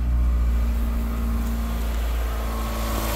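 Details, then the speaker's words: 1999 Ford Escort, previously a crank-no-start from a timing issue, first start after the timing belt and tensioner were fixed: smooth, even low hum with no knocks or misses; engine idling cleanly and in time. "she cranks up and you heard her she cranked up she's running she's in time everything sounds good"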